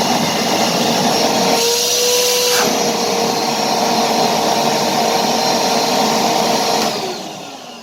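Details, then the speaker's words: Kärcher WD 2 shop vacuum after motor bearing replacement and turbine cleaning: steady even airy roar and clean mid-pitched hum, then wind-down; earlier loud roar cured by the turbine cleaning. "таки да чистка турбины нам дала положительный результат"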